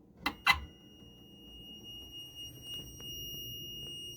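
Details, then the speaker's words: 1985 Gamatron pinball machine power supply troubleshooting, multimeter in continuity test from bottom of R1 to case: two probe clicks then steady high-pitched beep; continuity confirmed, ground path good. "from bottom of R1 to the case and put it in continuity test."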